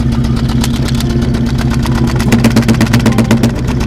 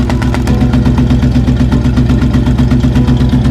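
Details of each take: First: New 351W V8 in an early Bronco, losing power on one bank: lumpy idle with a regular stumble about four times a second. A paper test at the exhaust suggested a bad exhaust valve; a failed pushrod is causing a misfire. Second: 1966 Ford Bronco with a 351 Windsor V8 at idle, paper exhaust test: the paper blows steadily out, with an even chuff at about 160 pulses a minute and a low rumble. Healthy bank; the other bank sucks in, suspected exhaust valve or pushrod failure.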